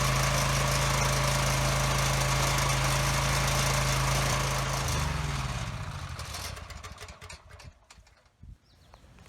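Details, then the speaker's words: Husky generator that had sat for five years with bad fuel, running on a temporary fuel line and blowing smoke: a steady, lazy low hum that then winds down and stops. Running below governed speed at about 53 hertz; the owner plans to adjust the speed. "And it was making power. It was only at about 53 hertz, which is too slow."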